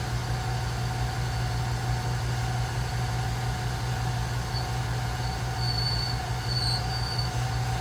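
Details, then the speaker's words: Small, very basic hobby lathe, gear drive running while machining a burner adapter for an oil lamp: steady, even hum with a faint high tone and no growl or clatter. Gears run quiet and don't sound cheap; normal gear drive under cut. "if the gears run quiet in this thing it's not noisy or grow or doesn't sound cheap sounds good but it's just very very basic"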